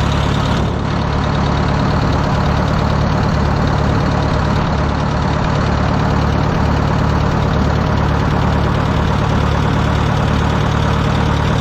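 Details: Wisconsin VH4D engine on Bandit model 65 wood chipper, repaired after abandonment: starts up great, deep even note with steady beat about three per second, no knocks or misses; runs well.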